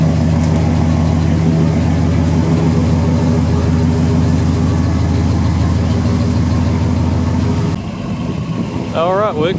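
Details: 1977 Chevrolet C10 V8, next-day restart after sitting nearly 2 years, cranks right up: deep even burble at steady idle, no misses, knocks or ticks; healthy idle.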